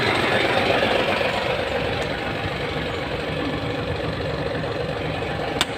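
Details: Hino 700 with E13C diesel, low power and hard starting: uneven, loping idle clatter at about four beats a second, rough idle with misfire from malfunctioning injector #5.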